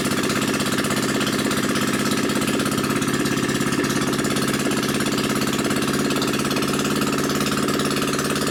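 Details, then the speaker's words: New Predator 79cc single-cylinder engine, muffler removed and drag pipe fitted for an RCF micro minibike; loud, fast, even popping from the open pipe at steady speed, each firing crisp and regular, running healthy. "it warm up a little bit. This engine feels solid, sounds good."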